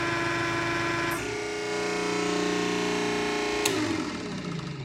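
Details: 100-ton hydraulic press with ram moving slowly through a long stroke: steady electric hum with constant tone stepping slightly as ram moves, no knocks or rattles; motor runs normally.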